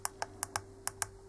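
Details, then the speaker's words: Common-rail fuel metering solenoid valve driven by homemade cheap tester at 1% duty cycle: sharp light clicks at uneven intervals, about six in under two seconds, over faint hum; valve actuating properly. "zaczynając od jednego procenta dajemy częstotliwość pracy O i zobaczcie co się dzieje nasz elektrozawór zaczął sobie cykać już wypełnienie jednego procenta dla niego jest bardzo długim czasem jeśli chodzi o kwestie impulsu jego wypełnienia"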